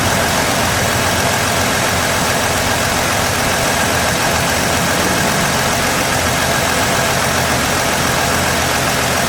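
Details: 2016 Ford F-150 3.5 V6 running after the correct starter replaced a wrong one; still clearing fluid smoke, with normal temperature and good oil pressure. Steady, even idle hum with no knock or tick. Normal idle.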